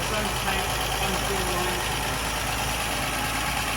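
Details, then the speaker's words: Ford Mk1 Granada 3.0 V6 Ghia being recommissioned, previously run up to temperature, now idling on choke from its own fuel tank: steady, even low rumble with no knocks or misses; normal, smooth idle. "Listen to her purr. Here we go, guys. It's now running on its own fuel from its own tank."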